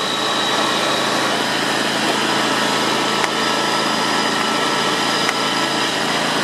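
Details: John Deere X320 mower, 260 hours, after tune-up (spark plug, air and fuel filters, belts), PTO engaged: small engine at high speed with constant metallic hum; worn PTO clutch bearings suspected, noise absent at low rpm.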